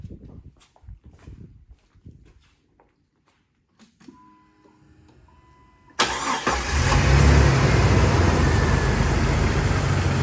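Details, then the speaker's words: Warm 2000 Jeep Wrangler TJ Sahara, stock, automatic, 122k miles, just driven and hot: a few clicks, then it catches at once and settles into a steady, even idle with no knocks; healthy start. "So let me crank her up for you, and you can check out the engine and see how it sounds."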